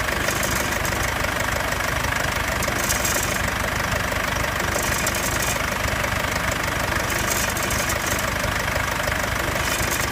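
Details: Mercedes C220 CDI W205 diesel, built 3/2015, at idle after cold-start phase: light metallic clinking rattle about three times a second; source not pinned down.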